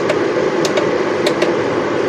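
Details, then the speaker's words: Home inverter carrying about a 1.7 kW house load in a solar and lithium battery setup: even, steady whooshing fan hum with a light rattle and occasional ticks, normal fan noise under load. "інвертор трішки шумить живання в будинку 1 кВт і 700 Вт дивимось що в нас"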